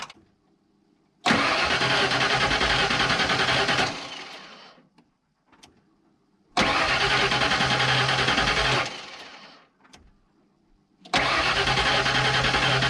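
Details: 1992 Ford F150 XLT with earlier transmission issues, cranked on a new battery after the old one was completely dead: three strong, even three-second cranking bursts at a brisk, steady rate. Healthy cranking.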